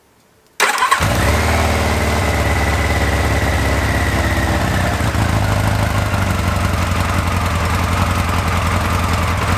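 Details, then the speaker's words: Motorcycle restarted with the idle mixture screw richened from 1–1.5 to 2.5 turns (others run 2–3): it idles lumpy with an uneven beat and a dull 'cloc cloc' clacking, one cylinder dropping out from a lean mixture. The spark plug fires and ignition seems good. "Un truc qui tourne pas rond quand même. Hein. C'est cloc cloc quand on entend. Hein. Ça fait un bruit affreux dans la chaîne."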